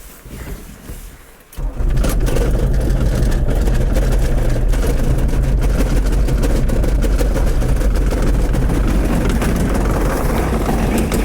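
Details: 1981 VW Rabbit pickup, 1.6 naturally aspirated diesel, after reman injection pump, cleaned tank pickup filter and timing checked: starts readily but idles lumpy with irregular knocking, rattles the cabin and smokes white; cause still unknown.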